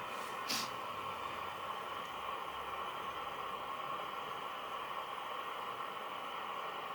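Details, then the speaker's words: National Panasonic RQ-434DS boombox after component changes and loose aerial wires: even loud hiss with a station barely audible beneath; very weak reception, owner suspects a mixer transistor. "i can vaguely hear the station"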